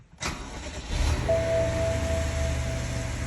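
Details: BMW after fixing a vacuum leak (broken hose found by smoke test, pushed back in) and clearing misfire codes: cranks, catches quickly and settles into a smooth, even idle with no stumble or miss.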